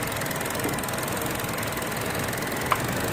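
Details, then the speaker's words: Idling petrol engine with a steady airy hiss from a massive vacuum leak at a loose oil filler cap seal. High fuel trims persisted after a TSB valve cover replacement and went negative once the cap was replaced. "what i'm gonna do you can hear a massive massive vacuum leak right"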